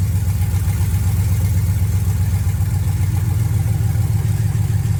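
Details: 1979 Camaro with LS swap, restarted after clearing codes, reading about 158 degrees: deep, steady V8 idle with an even low rumble and no knocks or misses; normal idle.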